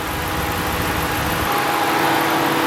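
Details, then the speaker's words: Rebuilt salvage 2014 Ram 2500, 5.7 Hemi V8, accessories replaced (alternator, power steering pump, AC compressor, idler, belt): smooth steady idle, even low rumble, no ticks, knocks or squeals; mechanically sound. "fires right up sounds good has the nice hemi rumble [Music] [Music] now that pretty much all of the accessories have been replaced um alternator power steering pump ac compressor the idler the belt it's pretty mechanically sound now"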